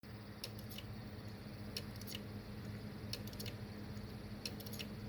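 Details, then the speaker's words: Western Digital WD_Black gaming mechanical hard drive: sharp clicks in bursts of two or three over a low hum, the click of death of a failing drive that should be replaced. "that clicking that's what they call the click of death if you start hearing that it's time to replace that drive"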